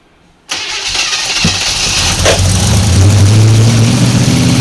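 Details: 1955 Chevy 210 Delray with a 265 V8: it catches and settles into an even, deep V8 burble with no knocks or misses, though a slight lifter noise was noted. Healthy normal idle.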